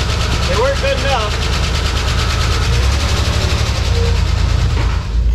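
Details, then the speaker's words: 1989 Ford Bronco II, first start after years in storage, possibly low on gas: engine runs rough and loud at idle with fast uneven tapping over low rumble; previous owner warned of a possible lifter tick, sounds noisy. "warned me that this truck might have a bit of a lifter tick but he said the engine was just fine sounds pretty noisy to me"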